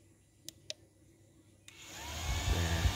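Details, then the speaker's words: Yamaha Vixion (old model), code 21 fault, ECT sensor signalling overheat: a couple of clicks, then the radiator fan whirs up and settles into a steady hum; fan and relay working normally. "ini berputar, Teman-teman."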